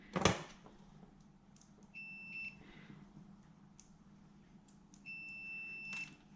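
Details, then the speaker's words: Multimeter continuity check on a new wiring loom for a non-VVTi 1UZ with Link ECU and coil-on-plug conversion, ignition circuit wires checked: two clean high beeps showing continuity, so the connectors are good. "and you're always check the last war because if the last wire doesn't pass then you've got a problem elsewhere"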